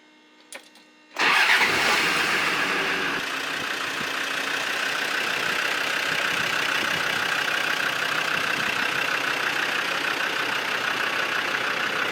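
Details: Classic VW split-screen camper van started on a brand-new battery for the first time in years; a brief crank, then it catches at once and settles into a steady, even idle with no stumbling. A healthy start.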